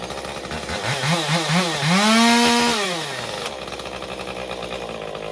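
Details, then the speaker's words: Stihl MS201TC chainsaw after performance work, idling 30 seconds to tune idle fuel settings: surges up unevenly, peaks, then sags to a ragged idle before starting to settle; fuel starvation, later fresh fuel and new fuel filter. "Okay, you can hear it in there surging. So, see, it's starting to settle in now."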